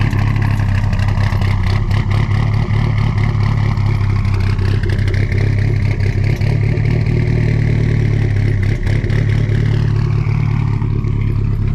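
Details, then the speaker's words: Toyota MR2 with second-gen 3S engine and GSC 268 S1 cams, cold start after sitting with jump-started dead battery: lumpy, lopey rising and falling idle, otherwise even and clean, no knock. "Those are those nice GSC 268 S1 cams for the second gen 3S. And the key to a nice slopey idle with these things is really leaning out the idle."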